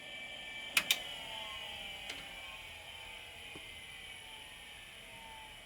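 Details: LaPine Titan model 3522 mobile hard drive shut down after benchmarking at spec: a couple of sharp clicks, then a whine sliding down in pitch as the platters coast to a stop; normal hard drive spin-down.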